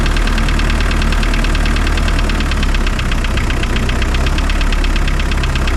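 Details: Spryte snowcat "Rusty" turbodiesel after new OEM Zexel fuel injectors fitted and primed: loud, even clatter at steady idle with no misses or hunting; idles noticeably smoother, rock solid when coming off acceleration.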